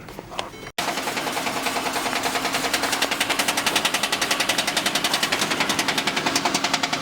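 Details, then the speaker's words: Manual Mercedes C300 in dyno mode, 4th gear at idle, noise appears around 15-20 mph: rapid even slapping about 3.5 per second over drivetrain hum; torn two-piece driveshaft center boot slapping the heat shield. "And it turned out it was the boot that was ripped, and it was just slapping the heat shield, making that noise."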